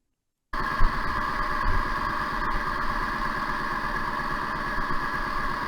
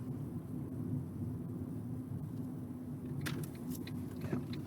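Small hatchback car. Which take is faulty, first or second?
first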